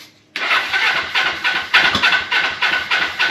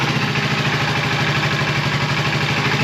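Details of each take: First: 1980 Suzuki GS450: cranks in quick even pulses, catches, then settles to a fast, steady idle that sits too high because the idle adjustment screw had backed out; readjusted. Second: 1980 Suzuki GS450 after lowering a backed-out high throttle stop: smooth, even low burble with steady slow beat and no hunting or misses, idle set around 500 rpm.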